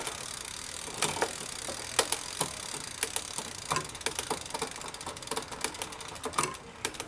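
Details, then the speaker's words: Quiet Cat e-bike rear derailleur after indexing adjustment, a final quarter turn clockwise to loosen tension: light, even ticking with crisp single clicks as the chain steps across cogs, no grinding or rattle; clean, normal shifting. "So as you can see, we've adjusted the derailleur here to smoothly index from cog to cog. It's not making much noise, and it's jumping right up into the next cog and right down into the next cog."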